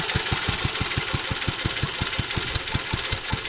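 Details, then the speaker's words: Fully restored J.A.P. Model 5 stationary single-cylinder engine, unused a few weeks, fired first pull and warming up on choke: crisp, even firing beat about six a second, no nasty knocks or misses, healthy smooth running. "So you can hear, no nasty knocks."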